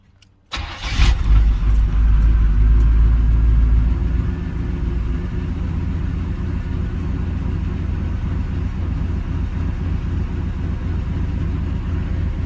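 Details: 305 H.O. small-block Chevy hot restart after sitting an hour, accelerator pump squirt confirmed: quick crank catches at once, revs flare briefly, then settles into steady even idle with no stumble; hot start healthy.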